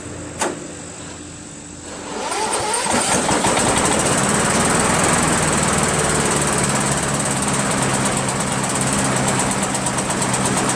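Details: Rebuilt Briggs 17.5 HP engine repowering a Yard Machines lawn tractor, balancer counterweight links replaced: catches after a few seconds, then runs rough and lumpy with backfire pops; carburetor suspected, not confirmed.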